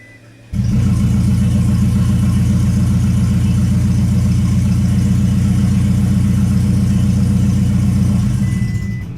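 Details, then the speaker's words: 2008 Toyota Prius after timing chain replacement, injectors unplugged, cranking at low rpm to circulate oil: engine spins without firing, loud even unmuffled chuffing about four per second because the exhaust was left disconnected. "so that did two things for us one it just spun the engine over and then two let us know that we forgot to hook our exhaust back up so that was kind of loud"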